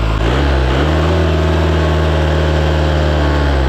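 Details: Isuzu 4-cylinder 60 hp diesel from an air compressor, possibly only 60 hours of use, just revived. Even, steady beat at high idle with a deep, unbroken drone and no misses or smoke; it runs like new, healthy.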